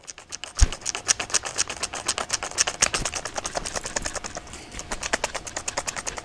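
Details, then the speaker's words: Kincrome battery drill running with the chuck on and the clutch engaged: a fast train of sharp, unevenly spaced clicks, about six or seven a second. Odd ratcheting noise; the owner is unsure whether it is normal. "That to me, that it doesn't. It could be nothing. I don't know if that's meant to sound like that, but yeah, we'll carry on."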